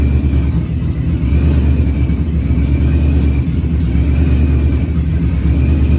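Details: Procharged Ford Coyote V8 first fire-up, running on external fuel pump since in-tank pump wouldn't come on, oxygen sensor close to pipe end: deep, steady V8 rumble at even idle with faint high whine, no knocks or misses.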